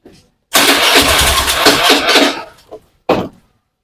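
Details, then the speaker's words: Honda Beat FI injection scooter: rough starter, weak-seeming battery; engine cranks, fires roughly with idle rising and falling, then dies when throttle is released or applied, with brief failed restarts; hard starting and no power to ride. "Jadi intinya motor ini untuk hidup sulit bilaana kita gas motor ini langsung mati ya tidak kuat jalan"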